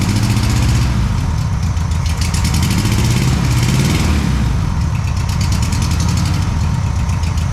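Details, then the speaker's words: Rebuilt air-cooled flat-four in a VW Super Beetle restoration, first start after install: steady even idle chatter, no misses or knocks; fires right up, may need slight tuning. "It might need a little bit of tuning and all that stuff, but it does fire right up, starts, drives."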